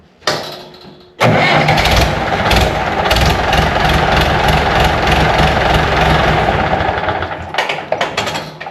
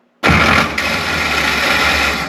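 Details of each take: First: 1970s International 574 tractor after starter repair, engine previously stopped where it always rests: brief starter whir then clean engagement and steady start with no grinding, where before it ground three or four times. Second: 1970s International 574 loader tractor starter engaging with a harsh metallic grinding burst and no clean cranking rhythm, grinding every time it is started.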